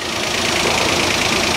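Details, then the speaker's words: Citroen AirCross 1.2 three-cylinder 82 PS petrol after earlier crank-no-start and immobilizer faults: now running, with a steady even idle, a hissy top end and no knocks, stumbles or misses, though the cause of the fix is unknown. "well it's running and I don't really know how"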